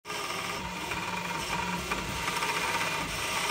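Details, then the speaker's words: Ultimaker S5/S7 3D printer before repair: dry, scratchy creaking and crackling of the belts, audible from across the room, over steady axis motion, with black dust above the motors; worn motor belts and sliding blocks need replacing. "well it's just what I was expecting you can hear the belts Creek and crackle from across the room there's black dust above the motors"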